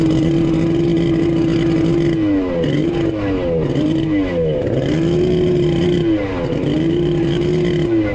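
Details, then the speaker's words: Kawasaki 1100 triple jet ski engine with bored cylinders, rebuilt and fitted with a Zeeltronic CDI: drones at one pitch and sags instead of climbing when throttled; won't rev, sounded wrong on the bench too; incorrect ignition timing. "okay all right folks it won't rev ah I knew it sounded weird on the bench"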